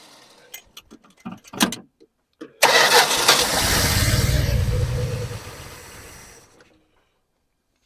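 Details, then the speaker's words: 1974 Dodge Dart Swinger that has been sitting a while, fuel poured down the carb: a few clicks then about four seconds of cranking that slowly dies without catching; carb bowl drained, fuel must be drawn up from the tank. "getting closer said it's got a it's been setting a while it's going to take a while to get gas up from the tank so nothing there yet"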